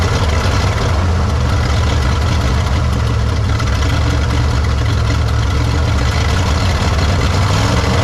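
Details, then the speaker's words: 1953 Studebaker Starliner, off the road possibly 45 years, odometer 38,360 miles, first start after new 6 V solenoid and distilled water added: low, steady, fairly even idle, no knocks, misses or water leaks; still needs plugs, wires, points, carburetor kit. "It's alive. It's not too bad. Don't think it's running pretty even. Not throwing any water out."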